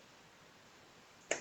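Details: Pure sine wave solar inverter (3 kW transformer, 5 kW kit) on test: grid power reconnected, quiet room then two sharp relay clacks a quarter second apart as it transfers back to grid normally.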